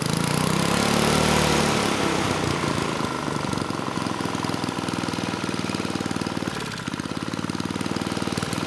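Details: Tecumseh 3 hp (HS35) engine on mid-1980s Troy-Bilt Junior tiller runs fast and loud with a hard, rapid beat, never settling to governed speed. Governor not working; owner suspects it is broken inside the engine, or possibly out of adjustment.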